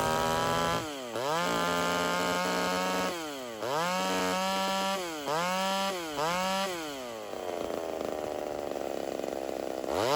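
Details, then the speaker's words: Homelite Super XL 130 vintage chainsaw during carb tuning, not yet fully warm: revs gargle and four-stroke with the high-speed screw set super rich, then smooth to a clean scream as it is leaned out; rich high-speed mixture. "I'm going to make it super rich real fast, and then as I rev it up, I'm going to start leaning it out until it starts smoothing out."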